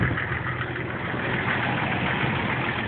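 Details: Jeep TJ 4.0 inline-six idling cold after start-up: a light, fast, fairly uneven tick that goes away once fully warm. It has done this unchanged for a year, and oil pressure is good; the cause is unconfirmed.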